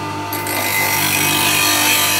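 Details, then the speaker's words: Bench grinder with heavy CBN wheel used for sharpening woodturning tools, guard in position: steady high even hum with fine hiss of steel on the wheel, purring smoothly; runs normally. "this is one of my favorite craft grinders this one and their size to run that that heavy CBM will but you hear how much it purrs when it's one is going"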